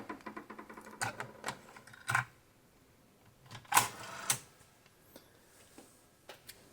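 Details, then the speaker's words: Sony TC-K333ESX three-head direct-drive tape deck under repair, cassette inserted: a few irregular clicks and short motor whirs as it loads and rewinds tape slightly; normal mechanism behavior before play. "a característica dele é essa. Assim que você coloca uma fita, ele dá essa... Ele volta um pouquinho da fita, Até aí tudo bem. Normal."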